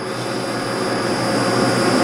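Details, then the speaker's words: Lathe grooving copper turntable feet at about 300 rpm, six grooves 0.050 in deep: a rough buzzing cut under a steady hum and high whine as the tool starts to chatter, like a parting tool. "and just because even this is trying to chatter you can hear it it's kind of like a parting tool it's best to just keep feeding and not let it stop"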